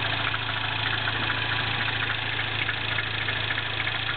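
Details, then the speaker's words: 2008 MINI Clubman S, turbo 1.6, 6-speed, Magnaflow cat-back exhaust, cold idle: light ticking knock about 100 a minute over the engine; speaker suspects valve tap, source unclear. "do you hear that little almost sounds like a knocking noise yeah it doesn't sound good but it's uh and then you of course you got some kind of lifter well actually this is probably overhead C you have some kind of valve tap or something going on"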